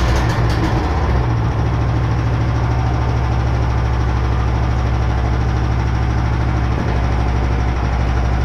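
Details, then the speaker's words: Small engine driving a machine via poly-V belt pulleys, at working revs: steady heavy low drone with coarse buzz and strong vibration, enough to shake off the muffler; later traced to a warped welded angle bracket. "Поэтому у него и глушак-то отвалился. Очень все сильно вибрирует."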